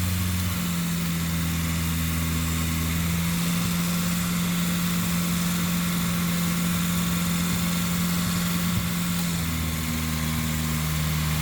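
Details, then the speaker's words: Volvo 940 turbo after camshaft and valve spring upgrade, first start: starts briefly on three cylinders, then a steady, even, smooth idle on all four with no misfire. "oh that's a good sign wow okay we're running on three but sounds like we're on four now"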